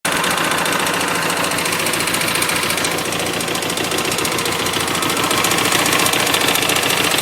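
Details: 2007 Hyosung GT250R idling after a highway ride: busy idle with fast metallic top-end clicking/clatter, present only at idle and low rpm, fading above about 4000 rpm; owner suspects valve adjustment or cam chain tension, unconfirmed.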